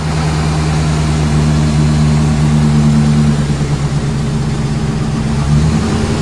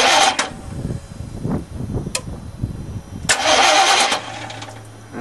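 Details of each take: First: Chevy 350 gas truck after draining diesel-contaminated fuel, revs held constant to flush through: steady even low rumble, no stumble or miss; earlier smoke rings showed cylinders still missing, now sounds good despite high kilometers. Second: Chevy 350 gasoline truck with diesel put in the tank, tank drained and refilled with gas, feed line at throttle body loosened to bleed: short starter cranking bursts, never catching, while fuel is flushed through.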